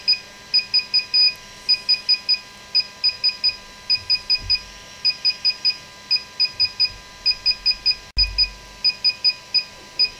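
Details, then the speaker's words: DJI Phantom 4 Pro remote controller during firmware update at 0%: repeating groups of quick high beeps about once a second, blue LED and blinking white LED; normal updating tone. "so we're going to go ahead and start the upgrade right now it's saying upgrading right now is at 0% and you can hear it beeping now and you should see the blue LED on the left hand side with the white LED is blinking that's what it should look like"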